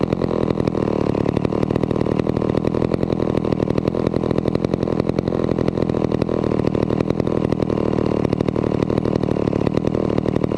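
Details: Vintage McCulloch 250 chainsaw after restoration, reassembled and running: a fast, even two-stroke firing holds a steady pace with no misses or surging. It purred along and ran fairly well. Normal running.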